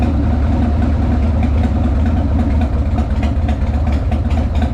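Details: 1998 Harley-Davidson Sportster V-twin after Dynatek ignition install, static and dynamic timing just set and timing plug refitted: loping, uneven beat holding steady at fast idle with no misses or knocks, runs clean; timing may need slight further tweaking.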